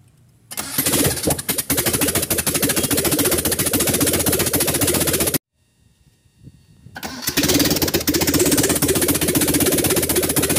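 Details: Carbureted Mitsubishi Lancer after a poorly done overhaul, under test: cranks, catches and settles to a steady idle, shut off, then restarts cleanly and holds an even idle.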